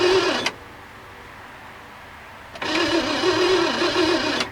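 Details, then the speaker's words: 1967 Mercury Monterey, 390 big block V8, parked since 1992, mouse-chewed wiring being repaired: two bursts of steady starter cranking, about two and a half turns a second, start the moment the key is switched on, an unintended crank. "As soon as I turned the key on, she just started uh cranking. That's not right."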